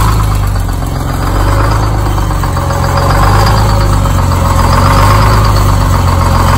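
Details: Engine just started with a spray of ether: deep, steady diesel idle with an even low throb and no misses or knocks; running healthy.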